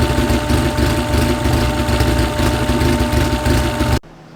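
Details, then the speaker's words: Freshly built car engine being heat-cycled with water pump on, to burp air from the coolant: lumpy, choppy idle holding a steady beat with no knocks or rattles, then a clean cut-off; healthy. "we'll do it two more times to make sure we got all the air out but it sounds great it sounds helping I can't wait"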